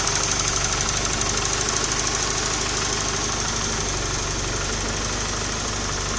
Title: bruit moteur